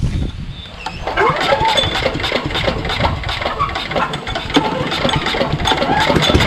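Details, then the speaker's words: Engine with a Nikki carburetor sprayed with starting fluid, choke on, pull start: fires and chugs unevenly with irregular pops, never reaching a steady idle. Something is suspected wrong with the carburetor. "yeah there's something hinky about the carburetor it does turn over right but very very little bit you know from the amount of fluid that i shove in there i'm surprised it doesn't ignite fully"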